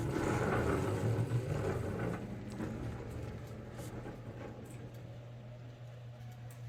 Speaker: to me it actually sounds like it got worse many of you will feel the same